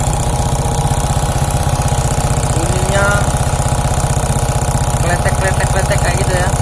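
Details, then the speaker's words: Suzuki Shogun 125 smooth when cold but rough after 5–10 minutes warm-up, valves and cam chain tensioner already adjusted: sharp regular tick about three per second over hot idle, rough crackly rattle; cause not yet found, valve area to be dismantled. "Oke jadi teman-teman sudah mendengar ya suaranya kasar ngeletek disini jadi kita harus bongkar di bagian klep"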